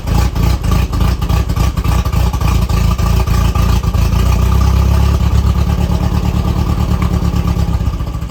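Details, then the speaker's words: 1984 Volvo 244 GL revived from the woods, running only on starting fluid with no fuel pressure yet: rough uneven firing pulses, three or four a second, swelling then fading. Brief running confirms spark. "So we got spark, we know it'll run."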